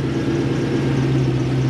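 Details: 1UZ-FE Lexus V8 in Toyota Hiace van, 15-year-old untouched tune, after sorting idle speed and wiring: smooth steady idle, no chuffing or misfire, where before it chuffed out the back.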